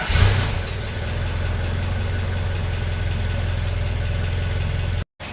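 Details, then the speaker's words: 1985 Toyota pickup 22R, revived after 12 years of sitting, after exhaust manifold leak repair with new gaskets: smooth, even low idle, much quieter from the front, no ticking or puffing from the manifold; normal idle. "yeah it is so much quieter from the front end now now they have everything buttoned up and gaskets new gaskets in there I don't think it's leaking anymore from the manifold or anywhere actually"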